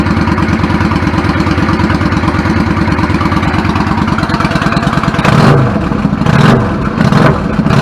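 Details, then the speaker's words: 1999 Yamaha V-Star 650 Classic, 650cc V-twin with twin carbs and 16K miles, after cleaning pilot jets clogged from sitting: a steady, loping idle with clean throttle blips that settle evenly after an idle adjustment; fixed. "smells a lot sounds good settles back of it I'm fine with it babies are fixed"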